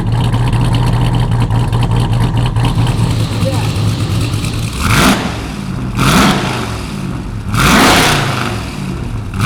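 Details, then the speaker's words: Ram TRX with a Hellephant 426 supercharged crate HEMI swapped in, first run on a base calibration file, on the lift: loud V8 idle, then three quick blips rising and falling cleanly with supercharger whine, no knocks or rattles; revs smooth. "I don't hear any bad noises. I don't see any bad fluids on the ground. Sounds like it revs smooth, so that's great."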